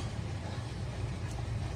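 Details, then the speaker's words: Steering check after the electric power-steering coupling was removed, cleaned, greased and refitted with the engine out: wheel swung back and forth slowly and quickly gives only a soft steady low rumble, no clunks or knocks; steering knock fixed. "اینم تست این ماشین بعد از اینکه کار به اتمام رسید دیگه هیچ صدایی نداره"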